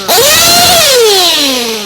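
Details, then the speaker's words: Race engine on VP Power Master fuel, bottom-end carburetor tuning: quick rev from idle climbs instantly with no hesitation, falls away smoothly; bottom end tuned right, healthy throttle response. "see, when I did it immediately, I had no hesitation. It just went up there quick. That's the kind of bottom end that I'm wanting."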